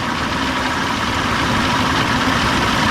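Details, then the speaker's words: Old two-stroke outboard with a past stalling and bogging problem. It starts quickly with the primer held in, in just two pops, and runs steady and even with no stumbling or dying off: a healthy idle. "all right push it in quick primer start wow oh wow it hasn't started up like that in a long time what's going on incredible just hold the primer in just two pops"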